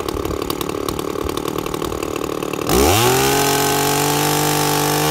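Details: 2-stroke chainsaw with an impulse diaphragm carburettor, tuned by ear with the high jet set slightly rich. It jumps from a rough burbling idle to a steady high scream that holds while cutting wood. Clean, crisp, correctly tuned.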